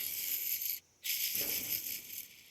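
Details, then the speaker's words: Bearing from a 2002 Subaru Forester transmission swap, spun by hand: dry gritty rasp like a skateboard wheel, fading as it slows. The bearing is worn out and should not be reused. "you got a bearing any sort of bearing I don't care what it is if it sounds like that skateboard wheel basically"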